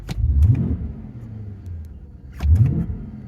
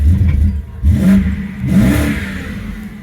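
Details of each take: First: 2008 BMW 750i, bought as a crank-no-start, now running: two quick throttle blips rise cleanly and drop back to a calm idle with no stumble; it revs freely, though the owner mentions a tip-in hesitation. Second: 2008 BMW 750i, previously crank-no-start, now running in gear with brake on: two quick throttle blips, revs bog slightly before climbing then fall back; tip-in hesitation, cause not determined.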